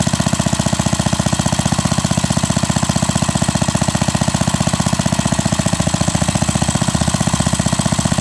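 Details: Pre-WWII Briggs & Stratton model WM single-cylinder after rebuild, 0.010" oversize bore, NOS piston and rings, breaking in after nearly an hour running: even, steady putt-putt about four beats a second, no misses or knocks; normal idle.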